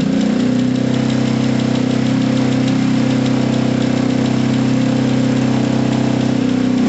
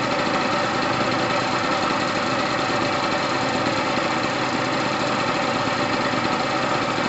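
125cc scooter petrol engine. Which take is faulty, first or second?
first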